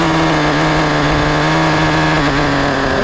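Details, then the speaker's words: Traxxas Nitro Slash 3.3 RC car nitro engine during break-in after richening the low-speed needle: steady, even idle holding pitch without hunting; runs smoothly. "all right it's a runner bro that idle is sickening"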